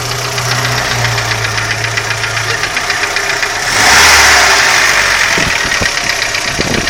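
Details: Audi 80 engine: a sharp metallic knock at about four per second rides over the idle, clearly audible above the engine; source not pinned down.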